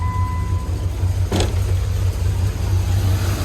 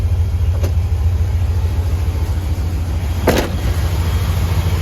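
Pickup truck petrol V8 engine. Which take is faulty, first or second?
first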